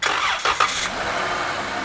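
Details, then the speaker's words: 2010 Chrysler minivan, customer reported sudden knocking under hood; with the accessory belt removed the engine starts and settles into an even, quiet idle with no knock, ruling out the harmonic balancer; noise traced to a bad water pump. "So see how quiet that is? So that eliminates the harmonic balancer at all."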